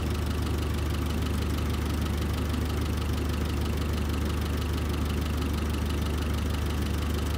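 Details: Terex carry deck crane diesel idling cold while warming up for a running valve adjustment, oil just reaching the rockers: loud steady idle with busy even ticking about two or three per second; valve clatter.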